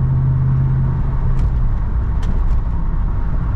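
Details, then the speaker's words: Ram 1500, leveled, on used 35x12.5R20 tires replacing 275/60R20s, cruising: steady low road roar with faint hum, smooth and even; normal tire road noise. "pretty good winding that's all sounds pretty good in my opinion I like it"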